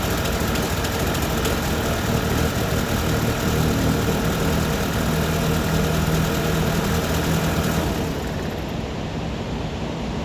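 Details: 2010 Audi A4 B8 cold start: uneven, lumpy, shaky idle with EPC light on and solid check engine light; camshaft position sensor replaced (P0341).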